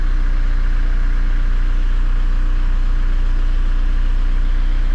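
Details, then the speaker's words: 2003 VW Jetta TDI 1.9 ALH diesel, manual, nearly warmed up (fuel temp near 110 spec), original 10mm Bosch VE pump before swap: even diesel clatter at steady idle, no misses or knocks; running great, normal idle. "make sure it's running perfectly and it is it's running great with the old 10 millimeter pump"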